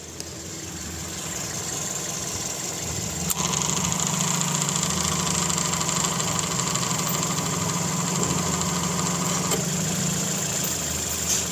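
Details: Car AC compressor after replacing a cracked, broken clutch and pulley with the air gap and bolt torque set to spec: steady idle with two crisp, solid clicks as the clutch engages, firm with no slipping or chatter.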